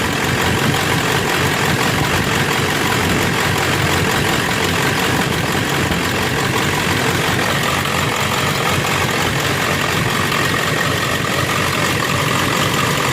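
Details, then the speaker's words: Ford 7.3 Powerstroke diesel with 65 psi fuel pressure, new ICP sensor and new IPR: intermittent rough idle, clatter stumbling as if one injector drops out, then idling smoothly again; owner suspects a bad wire or air in the system. "I'm not sure what the hell's going on. I don't know if I got a bad wire or something. It's just, it sounds like one injector isn't firing all the time."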